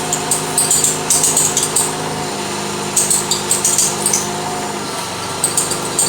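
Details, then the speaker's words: 1992 Lexus ES300 at idle, front squeak complaint, steering wheel being turned; sharp, high chirping squeaks in bursts as the loose inner power steering belt slips. "oh yeah it's a loose belt so it's the belt inside that is loose"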